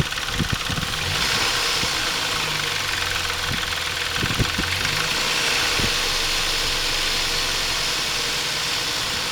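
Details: Intrepid 2.7 idling after water pump replacement: light fast metallic rattle over the hum, caused by timing chain tensioner not released correctly during installation; fixed afterward.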